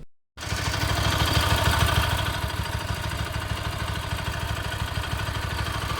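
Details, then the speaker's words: Bajaj Pulsar AS 200 single-cylinder, about 6.5 years and 30,000 km, idling: loud, rough, uneven mechanical clatter riding on the beat; noise growing over time, has stalled while riding, feels hot and laggy; cause unclear. "तो पिछले कुछ टाइम से मुझे इसके इंजन की आवाज़ में कुछ बदलाव सा लगा और तब से इसकी जो इंजन नॉइज़ है वो लगातार बढ़ ही रही है। करेंटली इसका इंजन कैसा साउंड करता है आप सब भी सुनिए।"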